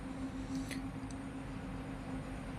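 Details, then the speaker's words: Panasonic top-loader washing machine, which had been noisy only during wash (not spin), tested after gearbox replacement: quiet steady hum with no knocking or grinding, running normally after the repair. "So Alhamdulillah, dear viewers, we have checked, everything is fine."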